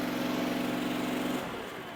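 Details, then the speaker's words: Powerease R740D twin-cylinder engine on a Chinese CRT-23 mini skid steer with trencher, after fixing fuel problems with an added fuel pump; steady, clean hum at light load before winding down, more power, no bogging or surging. "And like I said, it has so much more power, and it doesn't bog. I'm not even running it hard right now at all."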